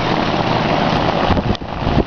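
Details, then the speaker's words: 2001 Ruud Achiever 10 heat pump, 2-ton 10 SEER R22 outdoor unit, in cooling mode: steady low compressor hum with fan whoosh, very quiet and even, some wind and handling bumps; normal running. "yeah the compressor's running man this sucker's quiet and i do believe the air handler's under the house"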